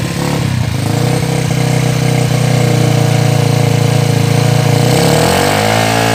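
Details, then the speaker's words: Yamaha Jupiter Z after new cylinder block fitted, tensioner, carburetor, oil and exhaust installed, no air filter, first start: steady even single-cylinder idle with brief rev rise, no smoke, knocks or rattles; normal idle. "oh nah duduk diatas juga bagus ya ke untuk asap ke tidak ada lagi ya teman-temannya Memang sebelumnya motor ini sangat 20 sekali langsung ya temannya bagus hidupnya langsung Bagus ya"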